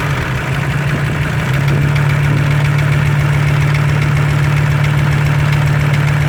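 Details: Audi 100 C3 2.0 TD diesel, engine code DE, idling with a steady knock about three times a second over the low rumble; engine knock of unknown origin that needs tracing.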